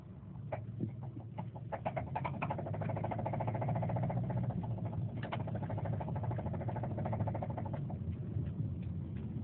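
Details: 2007 Subaru Forester XT with sharp, uneven knocks of about three per second that come and go over a steady engine hum; no warning lights or smoke, and it vibrated a lot later on. Owner suspects rod knock, unconfirmed.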